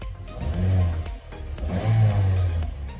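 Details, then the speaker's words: Toyota Yaris after installing a new dry (maintenance-free) battery, old one at about 5% health that wouldn't crank: starts easily, even low rumble with smooth blips, no misses or knocks; runs normally. "Oke, lalu kita coba nyalain. Bismillahirrahmanirrahim. Yo, enteng tenan lho akine anyar kok."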